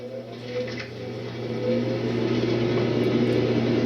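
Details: 1989 Lasko Galaxy Model 3723 20-inch three-speed box fan, mint in box, plastic motor housing and plastic blade set: steady even whir over a low constant hum, no rattles or wobble; normal, healthy running.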